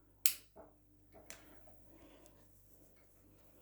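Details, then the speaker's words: Fitzgerald 5-foot fluorescent striplight with a burned-out, dying T8 tube and fast-start starter: sharp uneven clicks as the starter retries repeatedly, tube flashing badly and very quickly, failing to strike. "you can hear it making a lot of clicking noises so and it is flashing very very badly yeah and it does flash very very quickly"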